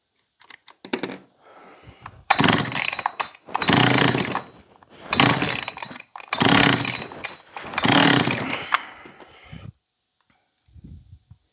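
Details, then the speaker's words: John Deere CS56 chainsaw (Oleomac 956/FCO 156 type), choke engaged, primed; 135 psi compression, pulls over easily. Small two-stroke fires and runs in about five one-second bursts with short pauses, catching readily; engine runs. "Well, we know it'll run, but she pulled over real easy."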